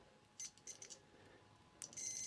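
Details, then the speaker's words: Multimeter continuity test on a UK plug fuse for a 1982 MB Vectrex: high piercing beep, brief then steady, showing the fuse conducts and is good. "and as you can hear you can hear the beeping so we know the fuse is good there's an electrical contact there"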